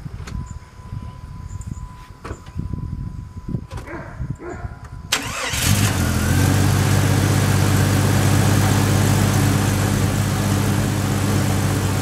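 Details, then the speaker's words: 1997 Jeep Grand Cherokee 4.0L inline-six, previous crank-no-start, after replacing camshaft position sensor (distributor pickup coil): a few quiet clicks, brief crank, engine catches and settles into a smooth, even idle. "well as you can see that was it it's up and running now"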